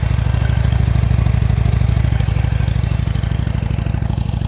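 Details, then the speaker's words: Salvage Harley-Davidson V-twin running after replacing one fuse, engine light still on; deep, even low-pitched thumping at a steady idle with no knocks, ticks or misses, very quiet, idling normally. "Oh, it actually sounds alright. Yes! One little fuse."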